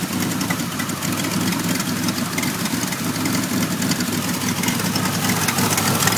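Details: 1991 Pontiac Firebird V6, now starts and idles, still setting codes 33 and 43: uneven lumpy idle with irregular beat and hissy top end, stumbling; rough idle, cause not yet found.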